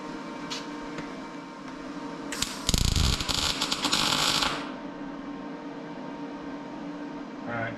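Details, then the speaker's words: MIG welding a patch into a '55 Chevy quarter panel at 15 volts: short, uneven, spitty crackle lacking a steady sizzle; weld running too cold, voltage raised to 16 volts. "I think we definitely need to be hotter. So we're at 15. I feel like we got to be quite a bit hotter, so I'm going to go to 16 volts."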